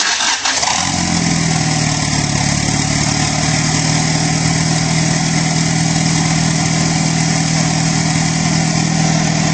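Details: Mitsubishi Starion with G54BT turbo engine run with no downpipe fitted, testing loudness: fires up and idles with a harsh, raspy roar far louder than normal, exhaust dumping straight out at the turbo outlet.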